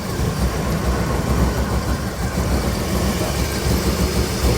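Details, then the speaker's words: Suburban at idle after the spark plugs and wires were checked: lumpy, loping idle with an irregular shake, motor visibly shaking. The misfire persists; cause not found. "Well, as you can hear, it's definitely fixed. No, not even a little bit. Look how rough this thing is. Look at that motor shaking."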